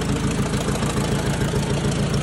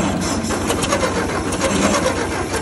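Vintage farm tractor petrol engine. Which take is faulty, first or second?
second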